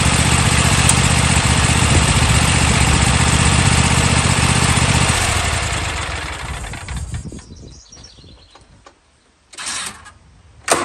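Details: Toro TimeCutter mower that shut off when handles moved or blades engaged, after cleaning safety switches and checking fuses: fires and runs steady for several seconds with an even beat, then shuts down quietly; normal running.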